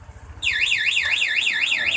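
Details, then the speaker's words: Yamaha NMAX with an aftermarket anti-theft alarm, remote lock pressed once while running: low idle gives way to a loud, fast wailing siren as the anti-robbery feature cuts the engine, which then won't restart. "Dilengkapi juga dengan anti rampas atau anti begal. Ini saat perjalanan bisa kita matikan mesinnya dari remote. Tekan gembok kunci satu kali."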